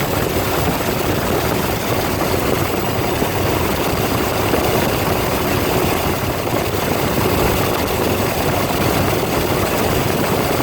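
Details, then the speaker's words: Ford 302 V8 driving an air compressor, after a tune-up with new plugs, plug wires, cap and rotor and a new fuel pump; loud, steady, even roar with deep throb, no misses or knocks, running smoothly. "does sound a whole lot better too since I did a tune up on it. New plugs and plug wires, cap, and rotor. So it's run a lot better. Sounds better too."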